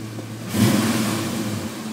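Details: Mustang 5.0 with bad idle, stalling and poor throttle response (IAC, alternator, battery, vacuum lines, fuel pressure regulator checked good): uneven idle and a flat, lazy rev; hesitation on acceleration, cause unknown.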